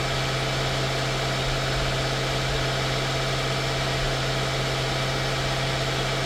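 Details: 2016 Mercedes-Benz S550 W222 V8 after ignition coil and spark plug service: smooth, even idle with steady low hum, no ticks, misses or knocks; normal idle.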